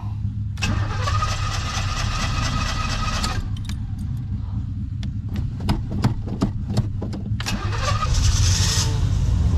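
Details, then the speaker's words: Classic V8 first start after sitting, fresh battery and jump pack, choke engaged, pumped, oil an inch over full: short crank with a few sharp firing pops, catches straight away into a steady rumbling idle; fired right up, no problems. "and there you have it fired right up no problems"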